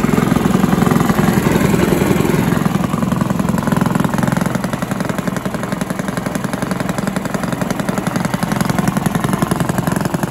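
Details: Villiers 10 petrol engine on an old Barford cement mixer, no choke, steady single-cylinder chug at about 220 beats a minute, even and unbroken, no knocks or misses; compression not excellent, fuel seems to run through with tap off; normal running.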